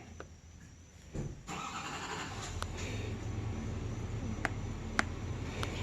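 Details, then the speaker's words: 1996 Vermeer SC1102 stump grinder, 3.9L 4BT Cummins turbo diesel with low power and breather blow-by, cranking on the starter: lopsided beat, relative compression shows one cylinder missing; mechanical engine damage found; uneven cranking from low compression. "you can see that's my relative compression you see one two three missing one two three missing"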